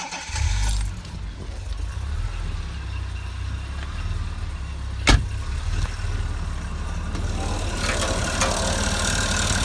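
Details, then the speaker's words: 1983 Jaguar XJ6 Series 3 4.2 at idle: light scraping rattle that fades in and out and disappears above about 2000 rpm; confirmed timing chain noise. "yeah it's sort of constant rattly scraping noise well it's not quite constant it sort of fades out and then comes back in again it's weird"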